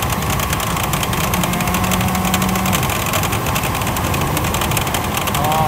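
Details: 24-year-old used Chevrolet Astro camper, engine idling with air conditioning on: fast steady clatter from the engine room, worse when revved; worn fan belt tensioner and idler pulley rattle, fixed by replacing belt, tensioner and idler.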